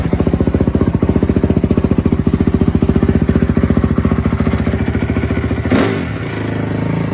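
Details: 2004 Honda CRF250 single, freshly rebuilt after blowing up, first start after cleaning a plugged carburetor pilot jet: crisp, steady thumping idle with even beat and no misses, then a brief rev change; clean, healthy running.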